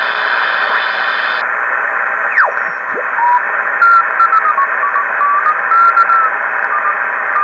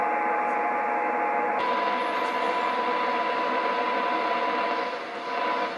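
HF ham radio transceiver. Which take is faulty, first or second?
second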